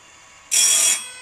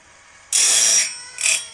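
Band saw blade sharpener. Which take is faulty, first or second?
second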